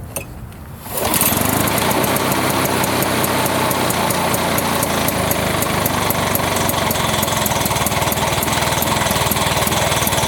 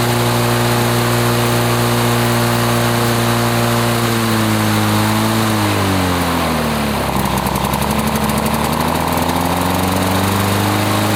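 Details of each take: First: 1980s Lawn-Boy two-stroke mower, ran out of fuel and wouldn't run, after cleaning, started by pull with gas/transmission-fluid mix in the combustion chamber: catches into fast, busy rattle with uneven firing; left on choke, running rich and wanting to stall until choke off. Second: 1980s Lawn-Boy two-stroke mower that wouldn't run after running out of fuel, test-run after service: even two-stroke buzz that sags mid-clip then climbs back to a steady high speed; first left on choke and wanted to stall; runs 3480 rpm, fine.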